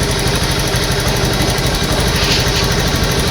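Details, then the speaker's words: Honda Beat ESP injected scooter now running after new fuel pump, fuel filter and O-ring, before reassembly: steady even idle putter over slight hiss, no misses; normal idle after repair. "Oke teman-teman jadi ini motornya udah bisa hidup"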